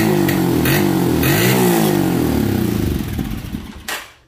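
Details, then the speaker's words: Motorcycle with the old high-tension ignition coil refitted while hot: the engine revs briefly, runs rough and dies within about four seconds, then is hard to restart. The failing coil cuts the spark. "se nos apagó vamos de nuevo y ahora es cuando cuesta aprender algo pasó ahí inmediatamente comenzó el problema"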